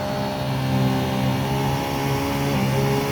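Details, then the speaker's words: 2012 Sea-Doo Challenger with the supercharged 4-TEC engine, brought to the rev limiter at about 8,000 rpm: a high, steady note with a faintly shifting whine as thrust drops off. The jet pump is cavitating. "we're losing a little bit of thrush it looks like and that Piper good shoes cavitating"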